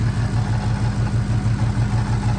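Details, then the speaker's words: Dodge Charger Hellcat at shop: deep idle with uneven lumpy low thump pulsing several times a second; sounds wrong, cause unknown. "I don't know what's wrong with it, but whatever it is, that is not supposed to sound like that."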